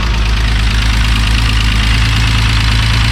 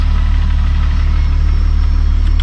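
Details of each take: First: VW MK3 VR6 turbo wagon at first start after build: steady, even idle with light fast ticking on top, lifters a bit loud though checked and working; owner expects ticking to decrease as it runs. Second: MK3 VW wagon with a freshly installed turbo VR6, running after an engine swap; steady, smooth low hum at idle with no ticking; quiet and even, though the fuel pump is loud.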